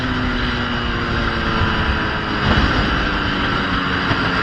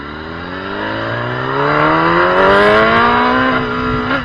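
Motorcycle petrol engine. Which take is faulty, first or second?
second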